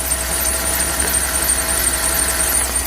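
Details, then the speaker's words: Chevrolet Tahoe at idle: steady high-pitched squeal that seems to come from two drive pulleys; owner plans to replace both pulleys and keep the nearly new belt; cause suspected, not confirmed. "Tahoe started and as y'all can hear that squeaking SL squealing noise that y'all hear right there you can hear it come from this pulley right here a little bit"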